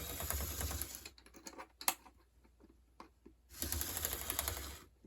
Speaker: And do you hear that clicking? That's the sign that these gears are cracked.